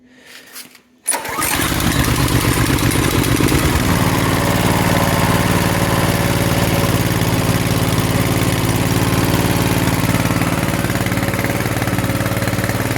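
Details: Coleman KT196 go-kart engine just after an oil change from grey oil to Castrol 10W-30, started on choke: cranks briefly, catches and settles into a steady, even single-cylinder putter with no misses or knocks; normal running.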